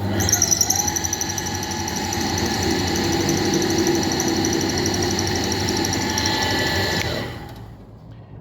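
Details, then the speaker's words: Rebuilt KamAZ truck alternator with new bearings, run on a bench with its own regulator relay and two batteries: smooth steady high whine then clean wind-down, no grinding or bearing rumble; normal alternator running. "Генераторды өзінің релесімен 2 аккумулятор алып келіп қосып қойдым. 25-те 4 зарядка көрсетіп тұр."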